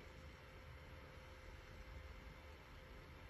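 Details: Hikvision unit after noisy fan replaced with new fan: quiet, steady low hum with a faint even tone, no rattle or pitch change; quieter than before but not silent, fan running normally.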